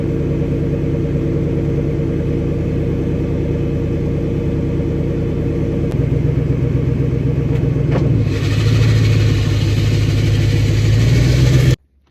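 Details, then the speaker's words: Ford F150 10th gen with fresh 4.6 engine, old high-mileage transmission with cheap replacement torque converter: steady rumble with low hum that wavers and shifts pitch in gear; owner suspects torque converter, old one chattered. "But now my transmission is it's making a funny sound. I think it's my torque converter."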